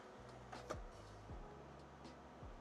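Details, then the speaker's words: Original Xbox DVD drive after recapping: faint low motor hum rising and settling with soft ticks as the disc spins up; drive spins normally and boots Halo 2. "and let's see just like the other Drive I I hear it and I feel it's spinning"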